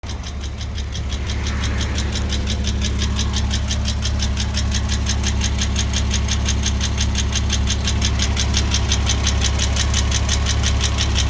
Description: My 986 2.7 has recently developed this ticking noise.